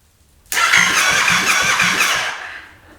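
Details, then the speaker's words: 700cc Yamaha FZ-07 engine in a Honda Grom build, first crank with ignition on but no fuel and fuel pump not wired; starter spins about two seconds with even compression pulses about three a second, healthy cranking, first turnover. "Dang, that is the first time this thing has ever turned over in our possession. So that sounded good just from that."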